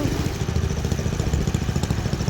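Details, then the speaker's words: Mini bike small engine chugs unevenly at low speed with a lumpy, stumbling beat, barely firing. Fuel is pouring out of the carburetor drain plug, and the carburetor float is suspected to be sticking; poor running, misfiring. "Is she firing? Not really. You're pouring fuel out that drain plug, so I think your float's sticking. Something's wrong with it."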